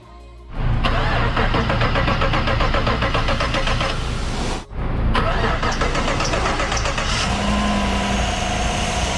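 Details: 2017 Chevy Silverado 5.3L V8, 50,000 miles, after replacing all eight high-pressure fuel injectors and upper intake gaskets for P050D cold-start rough idle and P0300 misfire: cranks, catches quickly, settles into steady idle, music over it; normal start and idle.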